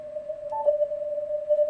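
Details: Ham radio receiver picking up interference from a plugged-in laptop power supply brick: steady mid-pitch drone resembling filter ripple on CW or atmospheric noise on SSB; noise disappears when the supply is unplugged; switching power supply interference.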